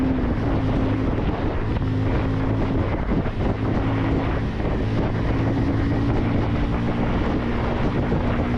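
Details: 2026 Bajaj Pulsar 150 twin-disc variant, riding through third and fourth gear in the mid-range: a steady, deep single-cylinder exhaust drone under heavy wind rush that responds to every throttle opening, pulling evenly; a normal, healthy exhaust note under acceleration.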